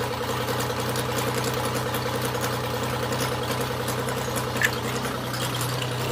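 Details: Classic Marcos Coupe GT V6 on its first start after restoration, with the fuel tank newly fitted: loud but even idle with a steady low hum and no knocks or misses, running sweetly.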